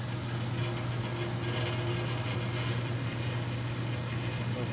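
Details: Furnace running with a steady low hum over rushing air as the return grilles buzz like reeds in heavy airflow; reed effect, fixed.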